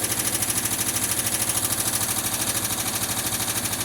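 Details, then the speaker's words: 1979 Volkswagen Westfalia, cold start after sitting a long time: light, even tick of about three per second over the cold idle, lifters still pumping up and quieting down, waiting for the high idle to kick down; hydraulic lifter tick. "all right while the lifters are quieted down quite a bit already I cannot pull forward there's a car in front of me right now waiting for the idol to kick down still a little ticking"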